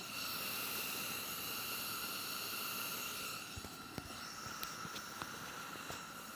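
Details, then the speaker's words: Garage heater with high, medium and low settings, running on high: a strong, constant rushing hiss with a faint tone that sounds like a water leak running all the time; normal burner hiss. "how it just it it sounds like there's a it sounds like you got a water leak or something just running all the time that's something I'm not a huge fan of"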